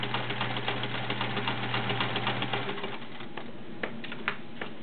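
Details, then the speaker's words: Sears Kenmore Model 1774 sewing machine, 1.2 amp motor, stitching zigzag: fast steady clatter near four beats a second, then lighter. The internals are noisy despite everything being oiled; cause unknown. "just now the internals of this machine are a little noisy don't know why everything's been oiled it's just everything you know something's they're just a little noisy as you can hear when you"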